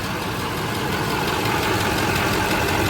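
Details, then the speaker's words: Chevrolet Duramax diesel at idle with the AC on, after recharging the refrigerant: steady mechanical hum with no squeal or grind; the compressor clutch is spinning and it blows cold air; normal. "Oh. Clutch is spinning. Cool."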